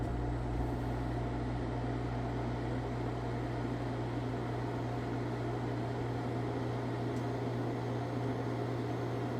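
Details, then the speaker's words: Wall-mounted air conditioner test run: steady low hum with constant droning tone and airy rush, no speed change; owner suspects a fan motor problem, unconfirmed. "The only issues I really have with this thing is that there's something up with the fan motor, but I can't get the machine out of the wall."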